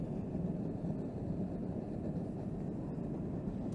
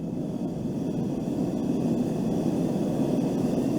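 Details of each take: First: Gas forge burner turned right down to minimum gas pressure, giving a low, uneven rumbling flutter as it sputters. The burner gets louder as the gas pressure is increased. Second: Gas forge burner raised from low sputtering, with its steady rushing roar growing louder and brighter as more gas pressure draws more air down the tube; normal burner sound from turbulence.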